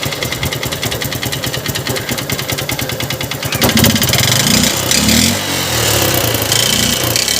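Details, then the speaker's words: Honda Unicorn motorcycle, engine cover open, idling with throttle blips: uneven ticking knock on a rough idle, louder with throttle; mechanic suspects piston or connecting rod, to confirm after teardown. "की तेजस्विता से sound आ रहा है कि ऐसे sound दो तरह का होता है एक तो पिस्टन का भी होता है कनेक्टिड का होता है"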